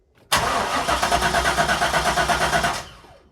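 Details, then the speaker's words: UK Corvette C5 manual, non-runner, cranking about two and a half seconds without firing after replacement PCM install, during the security relearn procedure; security lockout blocking start. "so attempt this is the second process of this uh Stupid security teaching thing so if you attempt to start it but then when you stop it just let go of the key"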